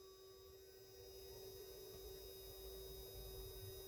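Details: IRFZ44N MOSFET power test with voltage pushed to 10 V, parts heating up: steady high-pitched tone around 400 Hz with faint higher tones over low hum, changing with the potentiometer; switch-mode power supply whining under load, test failed from power supply problems.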